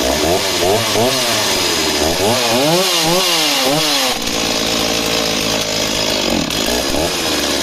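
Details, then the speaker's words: Stihl MS260 project chainsaw, two-stroke: saw blips through rapid rev swings, then drops to a rough, labouring idle. Strong at top RPM, but left idling half a minute it gets heavy, bogs and cuts out. Cause unknown. "so she starts and runs but really really Peaks fantastic but Lowdown is very unhappy if you leave a idling for a minute half a minute to start to get heavy and start to bog down and then just cut out"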